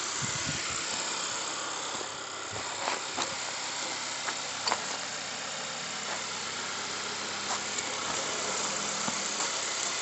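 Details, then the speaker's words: 2013 Honda Accord lifted, running in drive with the brake lightly applied: a harsh, steady metal-to-metal grinding with scraping clicks from the raised front wheel. This is a bad wheel bearing, which also caused power loss and steering pull. "bad wheel bearing making a weird sound and we got it lifted up this is a 2013 honda accord this is the answer to all your prayers all you people that have been having that weird uh it's like a grinding noise like metal to metal it sounds like metal to metal"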